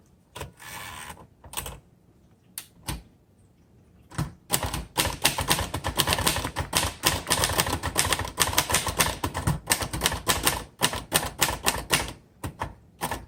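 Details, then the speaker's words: 1960 Royal Heritage manual portable typewriter typing demo: uneven bursts of soft, muffled clacks about four a second, sounding like a noiseless typewriter's buffered tick; owner unsure if that's intended, machine working normally. "it actually sounds like a um like a noiseless i know you can hear the tick tick tick tick but um noiseless typewriters have kind of like this buffering feel and sound to it"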